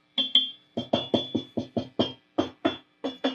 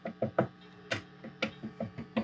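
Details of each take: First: Fender Twin Reverb Reissue '68 Custom amp: each light tap sets off a sharp metallic ring with a lingering tone, and it feeds back on its own as reverb is turned up. Caused by microphonic preamp tubes and a broken coax cable to the reverb tank. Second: Fender Twin Reverb '68 Custom reissue, tapping the amp front after swapping in some new 12AT7 preamp tubes: sharp dry taps die away at once with no ringing; no microphonics from the front.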